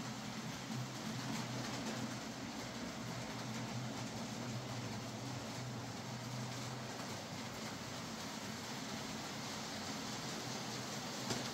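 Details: Hornby J15 model locomotive, slow and noisy since new, after a motor replacement: soft, even rolling hum with no rattle or grinding; now running a lot quieter and smoother.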